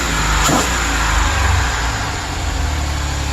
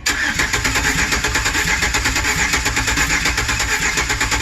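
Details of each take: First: 2008 Chevrolet Express, no coolant hooked up: just started, a brief rev, then a low, steady, even rumble with no misfire; old oil smoking out of the exhaust; normal running, only briefly run. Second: 2008 Chevy Express 4.3 V6 with 330,000 miles and rebuilt heads, cranking after oil added to cylinders: about five seconds of uneven, lumpy starter beat with no start; compression sounds inconsistent, cause unconfirmed, though each crank sounds better.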